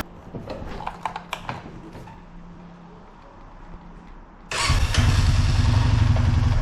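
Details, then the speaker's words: 2004 Honda Foreman Rubicon ATV after its shifting fault was fixed: a few shifter clicks, then the engine picks up to a steady, even drone with no popping or misfire in reverse; works normally after a 30-minute test ride. "all right no more popping in reverse all right took it for about a 30 minute ride everything worked perfectly on it"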